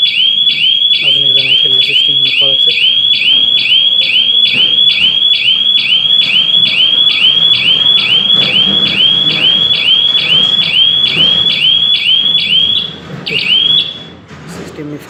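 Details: GSM-based home/shop burglar alarm security system triggered: loud high-pitched electronic whoop repeating a bit over twice a second, steady until the system is disarmed by phone call. Siren working normally.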